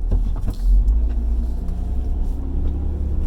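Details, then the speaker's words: 2015 Chrysler Town and Country with dual-piston calipers, rolling after a brake job: low, steady road rumble with no scrape, hiss or rhythmic rub. The brakes release freely. "and no rubbing on the disengagement I think we're good"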